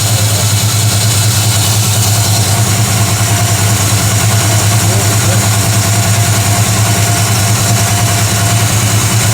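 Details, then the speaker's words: Chevy Vortec 350 in G-Body Cutlass after intake manifold gasket replacement for misfires: steady even low rumble at slightly raised choke idle, no misses, hiss or ticking; good vacuum, much more stable, normal idle. "The engine already right now seems a lot more stable at idle. There's no more shaking here."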